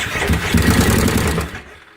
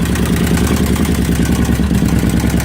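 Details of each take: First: 2005 carbureted Kawasaki Brute Force with a stator meant for a fuel-injected 2012: cranks in a quick rough burst, backfires and stumbles without catching, then dies; fresh fuel ruled out, incorrect stator found. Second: 2005 carbureted Kawasaki Brute Force V-twin that tried to start but wouldn't run because a stator for a fuel-injected 2012 was fitted; after the correct part went in it fires up and runs with a loud, steady, even beat and no misses or knocks.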